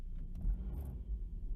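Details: Volvo being readied for sale, service light on, dies when cold unless given gas: engine just started, idling unevenly with a low rumble surging and dipping instead of holding steady; cause not pinned down, owner expects idle to drop when warm.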